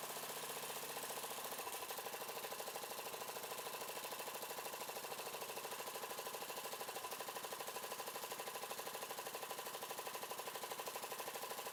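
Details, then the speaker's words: Yard-sale Murray 42" Wide Body mower engine, choke now closing after a broken plastic nub hitting the air cleaner box was found. Idle speed set near stall and mixture screw turned in until rough. Fast, fairly even chuffing with slight unevenness; rough idle during mixture setting. "all right basically I pulled the I the idle out to the throttle started to drop down to a point that it's going to stall or close to it and then this is your air fuel mix off the bat and basically I just turn that in until it starts to idle really rough or starts to lose idle"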